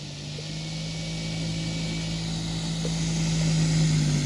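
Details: CY Models 100" Cessna Bird Dog RC plane with electric conversion on a 10S battery, taxi test; steady low hum with a faint whine that climbs gently as throttle rises. The motor runs normally.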